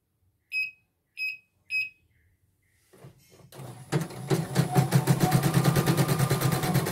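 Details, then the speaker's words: Portable embroidery machine (came in blank screen, dead touchscreen, hoop not positioning, unable to embroider) test-stitching after mainboard replacement: three short beeps, then even stitching about three beats a second, no grinding; normal embroidery stitching. "Mungkin akan bunyi cicit-cicit gitu nanti ya setelah diminyakin, itu normal."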